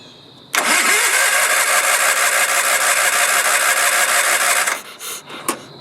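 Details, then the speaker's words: Early-1980s Sears Craftsman FF20 tractor engine, not run since 2009, carburetor just cleaned: fires and runs about four seconds then sputters out with coughs, probably only running on carb cleaner; not getting fuel on its own, cause unconfirmed. "That's probably running on the Car cleaner, Yeah. yeah."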